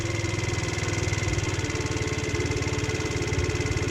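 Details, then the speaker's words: GY6 scooter started after its air filter, ripped off while parked, was reinstalled; it settles into a steady, even putter with no misses. Normal idle. "Cool. Now it's working really good."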